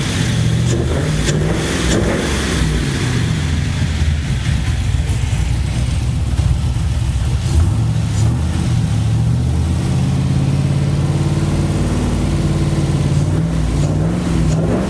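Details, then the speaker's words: LS-swapped Chevy C10 after new lifters were installed and head gaskets and heads reinstalled to fix loud tapping: smooth deep V8 rumble climbing cleanly with revs, no tapping, oil pressure about 50; normal running. "i think sounds real good now oil pressure's right about 50."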